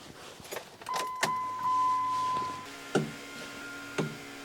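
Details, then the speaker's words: Small window motor in a vehicle door whirs briefly with sharp clicks and clunks between runs; it clicks with no switch pressed, then runs and cuts off when switched; owner suspects wiring. "see now I'm flipping the switch and you can hear it going and now just cut off and I flip the switch and nothing happens"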